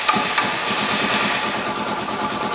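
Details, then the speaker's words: Suzuki DR650 adventure-bike build, first start after fitting a Lectron carburetor, choke turned off: a steady, even single-cylinder putter settles into a smooth idle with no knocks or misses, idling normally. "There we go. Idling."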